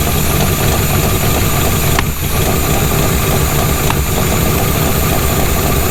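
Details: Jeep Scrambler engine running poorly after a long drive, idling with a light quick tick over the run; valve spring suspected at first. Teardown found a bad lifter, probably flattening a cam lobe, and a bent pushrod.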